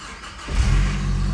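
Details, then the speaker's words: Nissan D21 Hardbody KA24E 5-speed manual after replacing a dead starter with a second used starter: engine catches and settles into a steady low idle; normal start. "all right now we got a starter in this thing no more bumps starting it to move it around"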